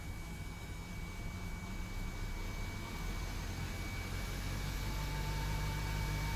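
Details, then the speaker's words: 2002 Silverado 2500HD that only clicked at the starter, now with solid ground: catches and settles into steady low rumble; normal start, hard start caused by bad ground strap between block and body/frame. "and now it'll do just fine each time hard start due to a bad ground strap to the block"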